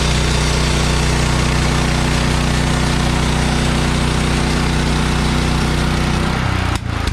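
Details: Bandsaw sawmill engine drones steadily under a loud even blade hiss cutting 3/4 x 6 inch boards for siding, after Pine-Sol water lubricant amount was reduced (too much made blade slip off bandwheels); no squeal or flapping, revs fall: normal cutting.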